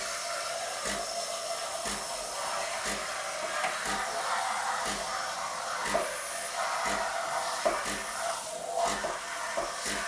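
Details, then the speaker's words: Bosch TES50129RW bean-to-cup coffee machine steam wand frothing and warming milk; steady airy hiss with soft pump pulse about once a second; normal frothing. "so what you do you just pull it out and then you get your buffer and warming the milk up"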